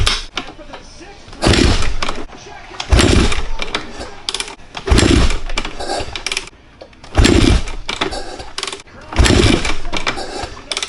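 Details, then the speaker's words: 2013 Kawasaki KX450F after rebuild, valves adjusted, fuel and electrics just hooked up: loud kick-over bursts every couple of seconds, never catches; owner wonders if the capacitor isn't giving enough juice. "it sounds like it wants to start but it's just not starting like you can hear it wanting to like to start but it's just not like I don't get it"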